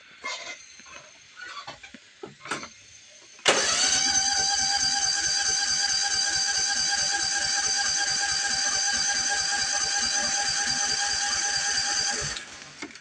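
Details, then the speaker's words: Toro TimeCutter riding mower that only runs on choke, test start after cleaning out a vapor-locking part: steady rapid cranking at about three per second for about nine seconds, never firing; fuel can be smelled. Cranks but won't start; fuel filter checked next. "Nope. We got nothing. Smell fuel though."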